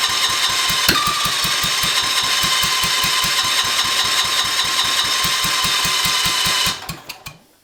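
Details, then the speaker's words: Cub Cadet 582 pulling tractor, Kohler K301 first start attempt, temporary fuel tank, primed, choke then off, jump pack: steady cranking about four chuffs per second, never catches; weak spark, later traced to bad condenser. "All right. I think I need to adjust the points. I did check it. It did have a spark, but it was a weak spark."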